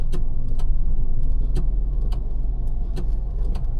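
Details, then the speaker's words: 2026 Nissan Magnite turbo petrol CVT idling: sharp irregular ticks, a few per second, over the idle when the brake pedal is lightly pressed; cause unclear. "एक चीज़ इस गाड़ी में है, देखो ये break है ना, जब मैं प्रेस करूंगा हल्का सा तो उस तरफ जो है वो आवाज़ आती है, सुनना एक बार,"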